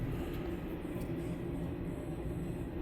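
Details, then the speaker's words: Haro Sport BMX front wheel, hand-spun with the bike flipped over before a rebuild: steady gritty low rumble from worn-out front hub bearings, "all over the place", though it still rolls well on one spin. "Oh, them bearings are shot. You can hear it. She's all over the place."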